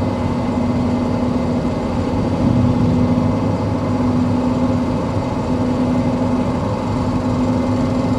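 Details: Toyota 1KZ-TE diesel while driving: light steady tick over the diesel clatter, with hum from mud tyres; owner worried about the ticking, source unclear.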